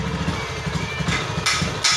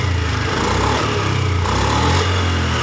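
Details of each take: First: Honda Beat ESP injected scooter, no MIL fault blink, fuel pressure 38–40 psi; near idle the beat is uneven and popping, and throttle brings a severe stumble and stalling instead of rising revs. Suspected TPS, fuel pump or clogged injector. Engine bogging on throttle. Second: Honda Beat ESP scooter after faulty sensor replaced, fault codes erased and ECM reset and idle relearn done; previously stuttered badly and stalled on throttle with no MIL blink: picks up cleanly through throttle blips, no stumble or misfire; normal revving.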